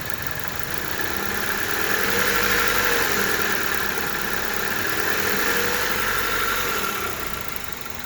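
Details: 1998 Honda Civic, scratchy wavering rattle with a faint high whine at idle from the alternator area; alternator pulley or alternator suspected; worsening since last summer, horrendous under load or uphill, differs in neutral; idle rattle.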